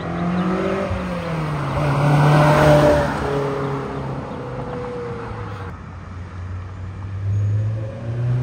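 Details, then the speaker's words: Silver Honda S2000 with UK Mod exhaust, drive-by: smooth rising exhaust note, no boom or drone while cruising; healthy sound, new-pipe smell burning off. "it doesn't sound bad from out here I like it doesn't sound like it drones"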